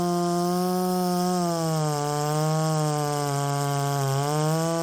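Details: Poulan 3750 chainsaw with adapted Chinese carburetor, previously ran erratically when hot, same tune: steady two-stroke buzz holding pitch with slight dips and recoveries under throttle; normal running.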